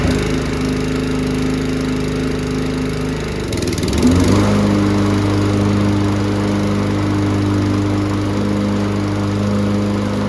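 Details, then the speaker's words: Free abused Toro Recycler 20333 personal-pace push mower (blade brake clutch, Briggs & Stratton recoil) after adjusting the blade clutch cable and changing the oil: steady even drone after a brief stumble, no misses or rattles; runs pretty good, normal. "well all in all I'd say that's pretty uh pretty good"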